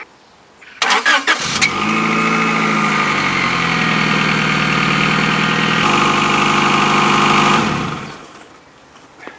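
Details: Honda Accord after starter-circuit wiring tests for a starting fault: brief starter whirr of a few turns, then the engine catches and settles into a smooth, even idle; starts and runs normally.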